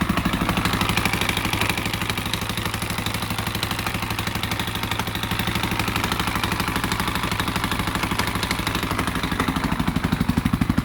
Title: KTM 520 EXC 2001 knocking noise